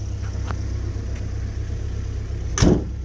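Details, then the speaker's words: Old Willys with an F-head four-cylinder, running through its muffler: a quiet, even low putter with one brief clunk; it idles smoothly and normally. "it's got a muffler there it's so quiet okay we're in the cockpit of our wheelies doesn't run too bad"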